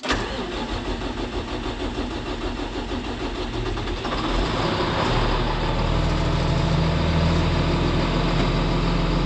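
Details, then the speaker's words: Farm diesel tractor that had lost fuel prime, electric fuel primer buzzing and glow plug light on: short crank, catches quickly and settles into a steady, even diesel clatter at idle; starts and runs normally. "Well, that was easy. Way easier than I thought it would be."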